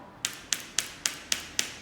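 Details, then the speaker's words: Badminton racket, after restringing, string tapped: six light taps about a quarter second apart, each followed by a short dry buzz; rattle comes from loose debris inside the grip/handle, not the strings, common on older rackets. "Macam mana nak hilangkan bunyi dekat handle, okay. Sometimes kita racket lama-lama, okay. Racket lama-lama ada bunyi tu, okay."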